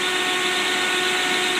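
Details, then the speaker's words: 1955 Ford Thunderbird Y-block V8 on test stand, not quite warmed, with muffler, electric pusher fan in front of radiator running: smooth, constant high whir, no ticking, rubbing or wobble; engine quiet, fan spinning normally. "rev it up a little bit run more notice how quiet it is with the muffler"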